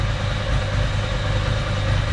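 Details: 1993 Ducati 750SS, about 85,000 km, standard Mikuni carbs with new jets, idle mixture at 4.5 turns out giving about 5.5% CO on the gas analyser: steady, even V-twin idle with a deep lope and no knocks or misses. Normal idle.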